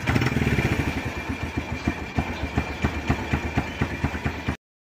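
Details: Kawasaki Bajaj CT 100 single-cylinder bike that dies and starts hard once warm, blamed on the ignition primary coil and a weak stator; after the fix it ticks over at a steady, slightly lumpy idle, about four beats a second, without stalling.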